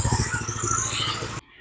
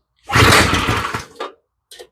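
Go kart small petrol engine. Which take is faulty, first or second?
second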